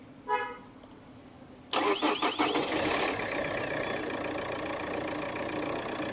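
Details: Chevrolet Cruze with a starting problem and no stored DTCs, started with an added earth (ground) wire: a short whirring crank, then it catches cleanly and settles into a steady idle; the fault was poor earthing.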